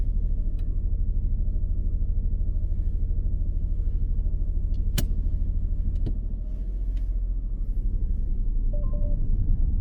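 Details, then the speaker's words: Manual learner car pulling away with the handbrake not fully released. A low engine rumble with an uneven shudder about twice a second as it strains against the partly applied handbrake. The result is judder when moving off. "Right, can you hear that noise? Yeah, that little I've got judder. that for you. Oh, All right, cheers. that's just the handbrake. You didn't release it fully, okay?"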